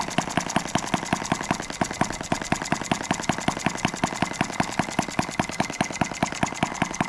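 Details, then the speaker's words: New Stirlingkit model M12B engine on its first start and run, throttled down to its lowest idle: slow, even chuffing at about two and a half beats a second, steady and unhurried; normal idle. "i think that's as low as we can get it to idle open the throttle up a little bit"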